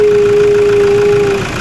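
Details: Diesel in for turbo replacement: a steady mid-pitched whistle rides over the diesel for about a second and a half, then fades; turbocharger noise, turbo needs replacing.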